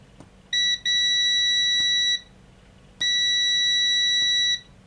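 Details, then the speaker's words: DVD/MP3 player (DVD 420) front-panel push button tested with multimeter continuity: two high beeps of uneven length with a dropout, showing intermittent switch contact; tactile switches need cleaning or replacement, explaining unresponsive buttons. "So that's what it should be every press pretty much going down to the virtually the same resistance as the the leads. See now it's not doing it. And now it is"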